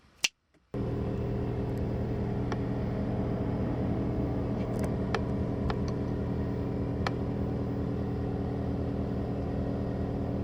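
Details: 2017 Ford F-250 6.7 Powerstroke diesel, idling, heard from the driver's seat: steady idle with a low buzzing rattle that seemed to come from under the wipers/firewall, actually caused by a vibrating transmission dipstick tube.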